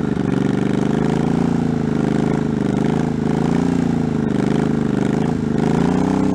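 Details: 1984 Honda Shadow VT700c V-twin, first startup after sitting over 7 years, carbs, fuel lines and starter rebuilt, main tank off, started on starting fluid; lumpy but steady idle with slight speed wander, no knocks or rattles; running fine.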